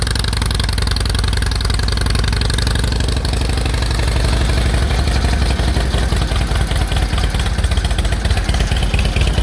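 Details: 1946 Indian Chief V-twin, original engine, restarted after about 12 years' storage, clutch linkage adjusted: loud steady loping beat with slight top-end clatter, even rhythm; running healthy again.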